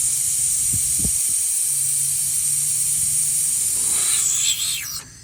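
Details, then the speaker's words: 2005 Chevy Silverado 2500 A/C: low-side service valve appears stuck, so the system is left running to bleed out air. Loud, steady, high-pitched hiss of gas escaping that tapers off; bleeding and refilling restored normal A/C operation. "so what i did is i just let this thing kind of run for a couple of minutes and just kind of let the air out"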